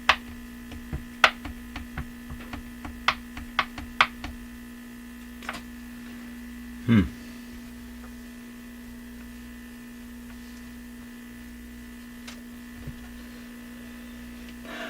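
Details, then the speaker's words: Classic Addison 5-tube radio: a constant low buzzy hum sits under everything, unchanged by the few clicks and knocks; the latest fix attempt didn't solve it and the mains hum source is still unfound. "Here we go. Yeah, that didn't solve the hum, did it? Hum, hum, hum, hum."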